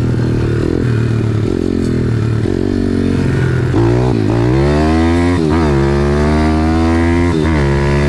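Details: Home-built 140cc YX pit bike engine with rebuilt cylinder head and long transmission, ride test through the gears to third: pitch rises and falls with each shift, no knocks or rattles; normal revving.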